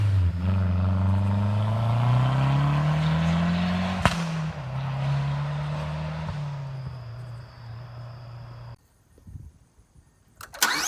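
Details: Mazdaspeed 3 with exhaust resonator and second cat deleted: a steady knock, about three a second, under a loud raspy exhaust; rod knock from a spun bearing after the engine ran out of oil.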